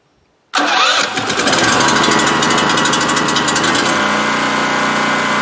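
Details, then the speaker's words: Four-year-old Champion 3800 running watt dual fuel generator, stored full of non-ethanol gas with TCW3, electric-started without priming on its original battery: catches within a second, then settles into a steady, even idle with no misses or knocks. "this one's four years old and man it's a great generator and that is the original battery too by the way"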